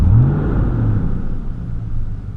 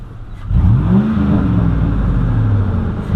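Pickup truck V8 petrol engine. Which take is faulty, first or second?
first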